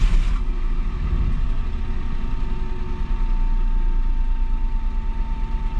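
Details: 2007 Citroen C1 engine during a fuel sender replacement job: even, steady low idle with smooth rhythm, no rattles or stumbles; normal idle.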